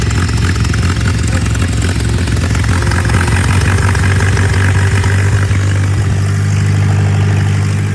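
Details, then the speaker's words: Tractor in neutral on choke, revved while the air intake is blocked by hand to try to clear a possible carburetor jet clog: a deep, steady, even low thrum with no stumbles; it now idles smoothly. "Sounds better. That might have done it."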